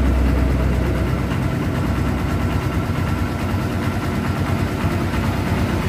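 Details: Kawasaki Barako 2 (2024) at about 8400 km, after warranty repair for noisy top-end ticking including tensioner replacement: steady, even single-cylinder idle with a low, smooth beat and no sharp ticking; normal idle.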